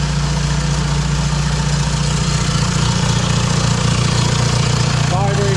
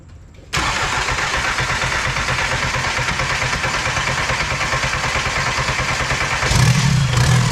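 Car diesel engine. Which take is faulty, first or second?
second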